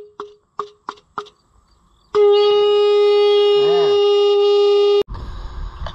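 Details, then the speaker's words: Original Fiat tractor horn after repair, bench-powered from a battery: four short weak blips, then one steady loud honk held nearly three seconds and cut off, works only intermittently and may need to be taken apart again. "so as you can see it uh does in fact go beep but not quite on its own yet so I'm probably going to have to take it apart again"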